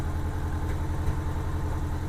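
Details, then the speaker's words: 1987 Honda GL1200 Goldwing idling while warming up, carburetors badly out of sync (cylinder 2 far off): low uneven idle with occasional soft pops, before synchronization. "While the engine's warming up, I'm going to adjust this number 2 a little bit. You can hear it popping as it's idling."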